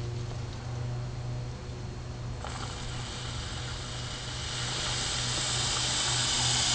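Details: Idling engine hums low while a sharp air hiss breaks in and grows louder, found with liquid soap at the intake manifold: intake manifold vacuum leak.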